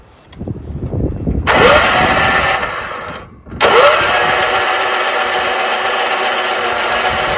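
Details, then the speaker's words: Troy-Bilt 30-inch rear-engine rider: ether sprayed into the filterless intake, starter jumped at the solenoid. Two bursts of steady starter whirring, turning over but never catching. A rusty plug shows no spark; owner suspects safety switches blocking the magneto spark. "Now I'll try to jump that starter again, or the solenoid. Not even any signs of it igniting. Got to check for spark now."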